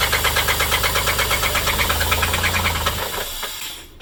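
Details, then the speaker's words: A loud, heavy, regular knock at about three per second from one side of the running engine, then dies away as it shuts off; rod knock. "Is that a rod? That's a rod. Oh. That's a rod. It is? Yeah. That's loud."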